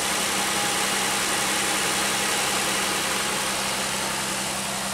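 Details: 2001 Pontiac Aztek GT after tightening three loose bolts that caused a high-pitched noise: steady, even idle with a low constant hum and no whistle; normal idle.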